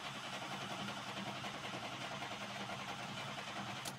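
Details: Chevy truck with a good battery: fast, even cranking at roughly three and a half beats per second that never catches. It turns over strongly but won't start.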